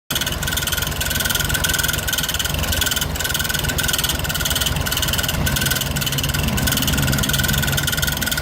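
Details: 1970 first-series VW Fusca (Beetle) air-cooled flat-four idling with a fast, busy clatter over the run; abnormal noise, cause unknown.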